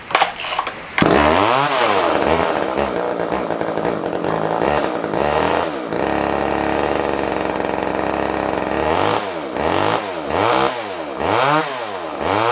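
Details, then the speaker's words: Older Poulan Wood Shark chainsaw surging and running rough: revs rise and sag in uneven surges, never steady; backing the carb jet out further does nothing, owner concludes it needs a carb kit. "a yeah backing the jet out further just does [Applause] nothing [Applause] yep guys it pretty B on this one we need to get a carb kit for it"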